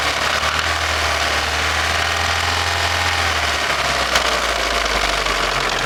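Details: Daewoo Nexia N100 1.5 8-valve, hydraulic lifters already replaced; a dull, steady knock runs through the idle under heavy hiss, cause unknown; engine knock at idle.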